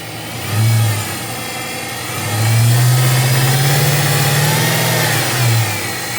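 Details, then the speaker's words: Supercharged 2003 Infiniti Q45 Premium V8, started after sitting for months, revved from the manual throttle body under the hood: clean supercharger whine climbing with revs, smooth and even with no knocks; belt tensioner seen jumping. "Yo, I love superchargers. And now that I've heard it, I'm not sure I want to sell it now."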